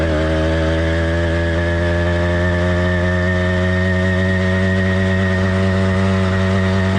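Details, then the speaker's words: Cheap single-speed two-stroke motorized bike kit engine with single-circuit carburetor, warm-up phase idling: soft, burbly, uneven drone firing every other stroke while cold and rich; four-stroking, normal and expected for the first five to ten minutes. "the motor's warm-up phase four stroking is not only common it's expected so don't worry too much about how it runs for the first five to ten minutes"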